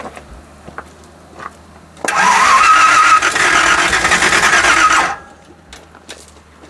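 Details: Engine being started in Calamity Jane: about three seconds of steady starter cranking with no firing; won't start, distributor cap later found rubbing.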